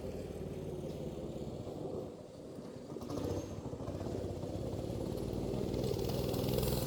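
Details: Small single-cylinder engine, after carburetor swap and tune-up for poor running and fouled plugs, putters evenly and builds a little speed without stumbling; previously ran wonky, tending to take off by itself. Now running properly.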